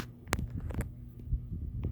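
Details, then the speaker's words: 52" NuTone Hacienda ceiling fan runs with a low throbbing hum, light ticks and a slight squeak from noisy bearings, with a wobble that grows worse by medium speed. "and it does squeak a little bit I hear it already and the bearings are a bit better on this"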